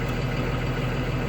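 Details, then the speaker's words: Spare diesel transit bus idling with parking brake on, regen light and high exhaust temperature indicator lit: deep, steady idle with even low throb, no misses or knocks; normal particulate filter regeneration, shouldn't shut down. "we have high exhaust temperature all right so it's just doing a regen so it's a good idea not to shut down"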